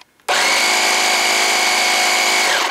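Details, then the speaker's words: Small air compressor, probably direct-drive, filling its tank, which takes about 15 minutes: a loud, steady, high-pitched buzzing whine at one pitch; it works normally but is very loud and delivers hardly any air. "woo I think that's one of those direct drive ones or something so yeah it's just just just too loud and hardly any air come out"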